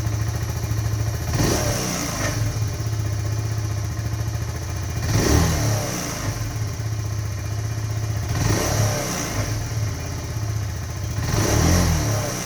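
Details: 2018 Kawasaki Z125 with only 461 miles, low idle and hard to start cold: at each small rev drop a coarse grinding rasp rises over the exhaust on deceleration; cause not yet pinned down.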